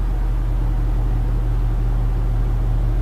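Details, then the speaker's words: A truck on a new driveshaft balanced by indicator without weights: a loud, steady, low droning rumble like rumble strips appears around 67.5 mph, absent at 70–80 mph. A driveline vibration is suspected to be the imbalance. "It's like I'm riding on rumble strips. It's kind of loud too."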